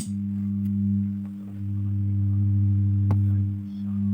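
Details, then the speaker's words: Universal 5.1 home theater, subwoofer and satellite speakers: steady low hum with faint buzz from both woofer circuit and satellite outputs. "Buffer में से humming का problem आ रहा है और इसके satellite से भी है"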